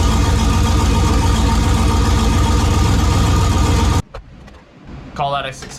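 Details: AWD turbo race truck with new fuel injectors, warming up. Loud, steady, deep roar with an even beat and no knocks or misses; it runs healthy, sounding better than ever.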